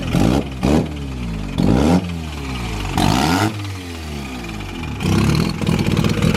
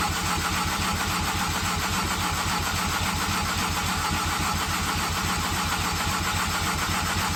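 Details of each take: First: Mazda FD RX-7 with freshly bridgeported rotary, first start-up after flooding, fuel pump temporarily jumpered: catches and blips freely, revs rising and falling cleanly with a raspy buzz; healthy start. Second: Mazda FD RX7 with bridgeported rotary at first start attempt: even, steady starter cranking about three and a half turns a second for eight seconds, never fires; MAP sensor connection suspected, not confirmed.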